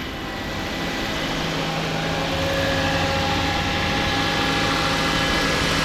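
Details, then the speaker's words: 2011 Mazda CX-7 after a used engine was installed, idling to burp air from the freshly filled 50/50 coolant. Steady, even idle with no knocks, misses or hunting; sounds healthy, though fault codes appeared afterward. "turn the car on let it burp itself a little bit [Music] no idea sounds good though"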